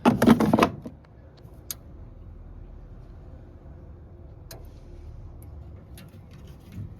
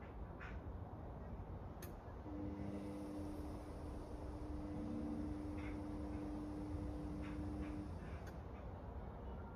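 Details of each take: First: Indesit Innex XWSC61252 washing machine: a few sharp relay clicks spaced seconds apart in near silence, no motor hum follows as it keeps retrying; worn motor brushes stopping the motor. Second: Indesit Innex XWSC61252 washing machine, motor refitted after repair: even motor hum with steady tone, no scraping or knocking; runs normally, though speed dipped noticeably when the high-speed coil activated, cause unknown.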